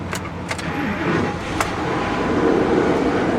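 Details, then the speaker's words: 2003 Lincoln Navigator, 325K miles, four-valve engine, started on jump pack at auction; transmission fluid clean. A few clicks, then engine catches immediately and settles into steady even run, no dash warning lights; healthy cold start. "oh wow she fired right up e-brake huh no warning lights on the dash yet"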